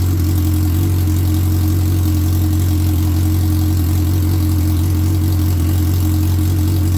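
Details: 2003 Suzuki Hayabusa on first run during repair, airbox off and intake air temperature sensor left dangling: steady, even low burble with an unwavering beat, settling into a clean, healthy idle. The oil light goes off right after key-on.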